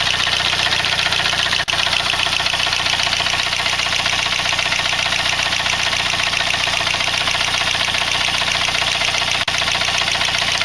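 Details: Saab 9-3 B205E engine at steady idle: fine, even ticking about two and a half per second over a hissy background; source not pinned down.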